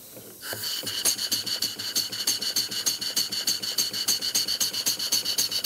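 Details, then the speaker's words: Model steam engine running on air during trial-and-error valve eccentric adjustment: hissing exhaust pulses sound better but a sharp top-end tap appears each stroke; top-end knocking. "exhaust sounds better but now I'm hearing a knocking up here we're hearing that before"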